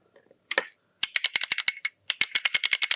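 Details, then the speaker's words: Nintendo GameCube controller triggers after repairing a mushy L trigger and reassembling: rapid bursts of crisp, bright, consistent plastic clicks, several per second; nice and clicky, triggers working normally. "Nice and clicky and all working."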